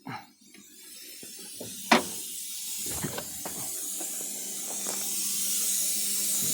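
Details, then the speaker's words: 1987 Kenworth T600 3406B diesel trying to build air at its first start after over 20 years in a field: a steady high-pitched hiss with a couple of knocks from a huge air leak underneath; an air tank is probably rusted in two. "oh we got a huge air leak building there yeah it's trying to build air all right well guess we need to find the air leak"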